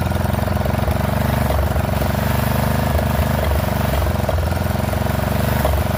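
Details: Poulan XT 12538 riding mower, 12.5 hp single-cylinder, 38-inch deck, warm, after a new carburetor replaced one leaking fuel into the crankcase: loping, uneven idle with occasional stumbles and misses. Rough running; owner suspects intake and exhaust valves need readjusting.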